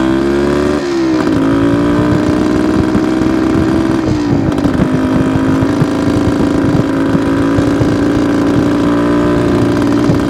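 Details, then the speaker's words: 1972 Suzuki TS250 two-stroke, possibly still cold, choke used at start: revs climb then sag in pitch, stumbling each time throttle opens instead of pulling; off-idle hesitation, owner suspects plugged pilot jet. "okay guys I think you could you could kind of hear it in the way the engine it just didn't want to take the fuel so my first thought is we've got pilot jet that's plugged up it's just not one to transition from that about idle to eighth"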